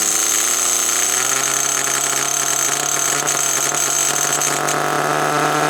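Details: HPI Nitro Rush RC car started after many years sitting: high, buzzy, steady small-engine clatter holding an even pitch; normal running again.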